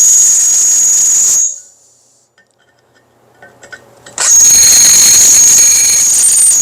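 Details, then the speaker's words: Roughly 1/4-inch drill bit in a drill press cutting metal: piercing, steady squeal while cutting that stops when the bit lifts and returns just as shrill; the bit is dull and rubbing but still removes some metal. "Huh. Hear that squeal? That means it's not sharp. But it's still taking out some metal."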